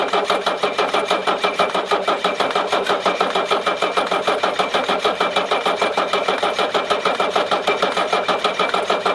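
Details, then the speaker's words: 1981 Mercedes-Benz 300SD with OM617 diesel, towed in after losing power and dying: starter churns steadily about three beats per second with no firing or coughing; cranks but never catches, cause unknown. "Alors comme vous avez vu, donc voilà, hein, donc il ne démarre absolument pas. Pourquoi? Je sais pas, hein, je sais vraiment pas."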